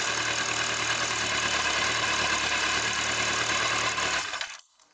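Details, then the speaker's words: Kawasaki ZZR1100 D, cold, with the replacement fuel pump: an even, steady four-cylinder idle with no misses or knocks, then a clean shut-off; the bad cold starting was traced to the fuel pump. "Okay, at first touch without anything. It was the bloody fuel pump that drove me crazy, but it drove me really crazy, huh?"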